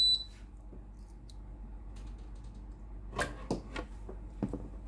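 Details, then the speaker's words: Philips PSG8040 steam iron that would not power on, after control board repair, test before reassembly: single short high beep at switch-on, then quiet handling clicks; it powers up and shows water-refill prompt normally. "เดี๋ยวลองเปิดในส่วนของตัวบอร์ดpowerดูก่อนนะครับตัวนี้เปิดติดนะครับขึ้นรูปเติมน้ำนะ"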